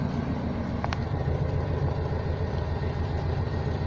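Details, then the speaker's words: 1982 GMC Crew Cab, 350 small-block Chevy V8, turbo 400, after STP multi-purpose engine treatment through the carburetor, air cleaner and vacuum lines refitted: low, steady, even V8 rumble with no misses; idling much smoother. "it's all cleared up the engine is uh idling much much smoother now"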